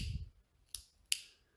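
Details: A replacement ceiling fan light pull-chain switch gives two crisp, sharp clicks about a third of a second apart in a quiet room as it snaps cleanly between positions; a normal switch click.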